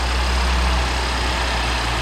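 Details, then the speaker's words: BMW X5 after idler pulley and serpentine belt replacement, first start: smooth, steady low idle with no whine or squeal; the belt drive sounds quiet and healthy, and the earlier constant whining is gone. "All right, let's go ahead and start it. You wanna? That way they can see it fail if it fails. Oh my God, no whining. No more whining."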